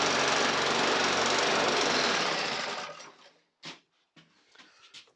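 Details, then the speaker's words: Briggs and Stratton 450E lawnmower engine, now running after not running before; speed surges up and down rhythmically then cuts out; still hunting, carburetor blamed and to come off again. "then as you can hear it's still hunting it means carve off again that bloody nuisance these carbs"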